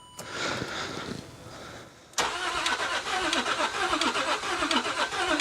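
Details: L320 Range Rover Sport non-runner on weak battery: starter churns steadily for several seconds but engine never fires; seems to hold compression; cranks but won't start.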